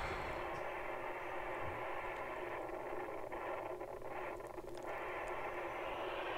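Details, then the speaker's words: HAM International Multimode II CB radio on receive: steady hiss broken by irregular crackling bursts as the VCO voltage swings all over the place; unstable VCO. "so it started to crack on the receive so I just got some voltage measurements and as you can see the vco is all over the place and this is actually receiving something from another radio"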